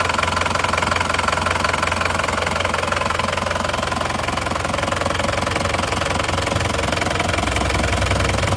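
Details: Isuzu Panther diesel after cylinder liners replaced to cure a knocking noise, warmed to operating temperature; nozzles 2 and 3 still leaking, not yet fixed; steady, even clatter at constant speed with no heavy knock, minimal smoke; normal idle.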